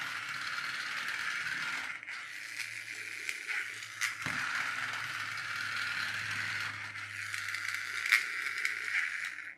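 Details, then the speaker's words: Secondhand charity-shop flexitrack toy car, plastic cover missing and patched with black duct tape, lights working: thin, high, steady whir holds level for about ten seconds with faint handling clicks; small motor running fine. "It's got a bit of black duct tape on there, but it does work. Got lights."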